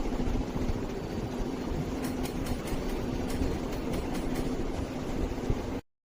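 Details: Ceiling fan running with a steady whirring hum and sharp irregular ticks, two or three a second; suggested checks are blade fitting and alignment, bent or damaged blades, equal blade weights, and fitting spring and damping washers. Cause not confirmed.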